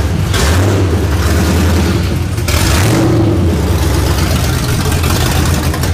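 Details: Cammed 1999 Ford Mustang GT V8 on first start after rebuild, open headers, awaiting new tune; loud lumpy rumble catches and settles into a steady choppy idle; runs good and smooth, just loud; normal idle.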